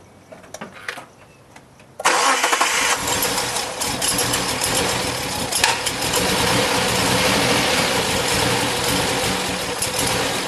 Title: engine rough idle 'click'